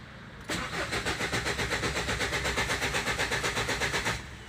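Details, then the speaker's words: Ford Endeavour diesel cranking without starting: even cranking at about four beats a second that never fires. Fuel rail pressure reaches only 1400-1900 psi, too low, blamed on return flow through the cylinder 4 injector; it starts with petrol in the intake. "doesn't go above 1400 i guess max 1900 psi that's way too less for the engine to start"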